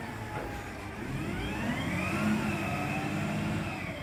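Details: Marion machine diesel engine rising smoothly under load, steady even note, no exhaust puffing or ticking after exhaust leak fixed.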